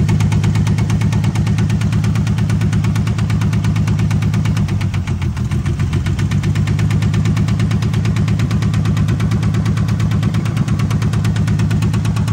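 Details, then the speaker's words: 1978 AMC Hornet at idle: lumpy idle with heavy, uneven low thud about twice a second shaking everything; misfire, number one and two cylinders have issues. "yep yeah something something is off number one and a number two cylinder got issues"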